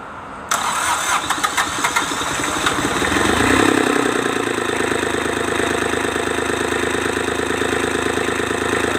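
Irregular cranking beats for over two seconds before the engine catches and settles into an even diesel idle; slow, reluctant start.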